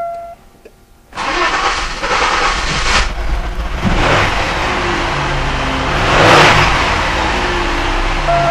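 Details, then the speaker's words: 1999 Chevy Malibu after reconditioning collapsed lifters, with the bottom end untouched: the engine cranks, catches and settles into a steady, even idle with no persistent top-end tapping, confirming the earlier noise was lifter noise. "wow what a difference so I guess that uh shows it"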